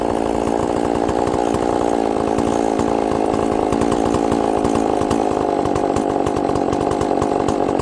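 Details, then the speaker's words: Chainsaw with good compression, running after a little fuel on the bottom: a steady, even high-revving two-stroke buzz with no stumbling or surging. It runs clean, but the diaphragms are probably hard, so it will need adjusting. "well I guess it runs the only thing I had to do is give a little bit of fuel on the bottom"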